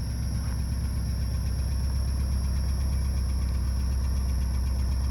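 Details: Porsche 944 idling with a thin, constant high-pitched squeak; suspected sticking control valve behind the oil filter housing; squeak lessens when revved and may fade as the engine warms.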